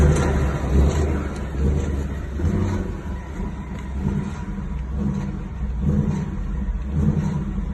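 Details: 2019 Mustang GT V8 10-speed automatic after TSB 19-2140, noise unchanged: deep rumble swelling and easing, rough low drone as throttle closes; engine noise on lift-off, cause not found.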